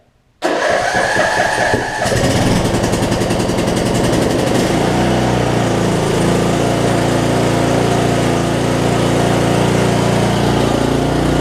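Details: 2007 Craftsman LT2000 riding mower, Briggs & Stratton engine, sat a while and backfired when starting: cranks, stumbles then settles into steady, even smooth run without backfires; sounds healthy.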